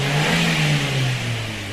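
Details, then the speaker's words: Maruti Swift petrol/CNG with code P0302 (cylinder 2 misfire), after replacing the failed cylinder 2 electronic igniter: even, steady engine note easing down smoothly from a light rev, all cylinders firing cleanly. "तो अपना problem solve हो गया। इसमें problem ये था कि second igniter fail हो गया था, इलेक्ट्रॉनिक इग्नाइटर है वो फेल हो गया, जिससे अपने नया डाले इसको।"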